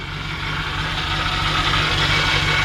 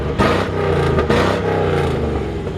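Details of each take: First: 1954 Ford F100 shortbed engine at idle, steady high thin whine over an even idle; probably the power steering pump, possibly the fan, not confirmed; may need a power steering flush and fill. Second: 1954 Ford F100 shortbed running, heard at the rear: deep throaty exhaust rumble rising cleanly on throttle blips and settling evenly; healthy engine note, with slight power steering whine noted.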